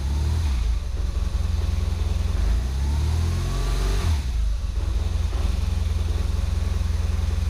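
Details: Motorcycle started while reading live sensor data on a diagnostic scanner: deep even twin-cylinder thrum rises smoothly with a quick rev and settles back, no misses or knocks; healthy engine.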